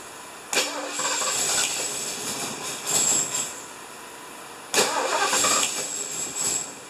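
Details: 1975 Lincoln, just reassembled, first start attempt: two long bursts of steady cranking, the starter spinning freely with no firing. Crank-no-start, likely because the distributor is one tooth off; the plan is to lift it, reseat it and set timing with a timing light.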